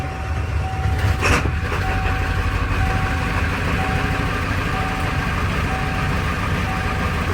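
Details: 1995 Ford F-350 7.3 Powerstroke diesel, crank no start, suspected IPR valve (replaced): steady, even low diesel rumble with no misses or knocks; idling normally.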